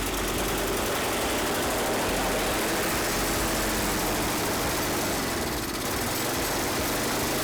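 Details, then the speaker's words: Toro 521 snowblower started with fuel on, primer pumped and choke used: busy, even engine buzz holds steady with a rough, rapid beat and no misses or surging; it works and may not need carburetor work. "well it works I might not even mess with a carb why put money into if you don't need to"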